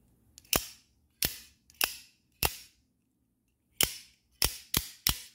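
Eight sharp snaps, each trailing a bright metallic ring: dry springs twanging as the blade fires.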